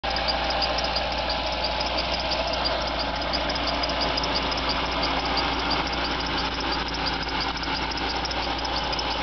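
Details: Jaguar XJR (X308) cold start idle: a high, rapid squeaky chirp repeating about three times a second; source and fix unknown.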